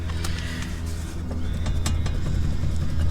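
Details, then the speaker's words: 2WD Ford Ranger, front raised on jack stands: sharp uneven metallic clacks as the wheel is rocked by hand, from excessive play in worn mix-matched tapered wheel bearings, replaced with KOYO bearings. "I can rattle the wheel on the bearings I've heard some people say that's normal um I don't believe that for a second there should not be play a easy play in the wheel"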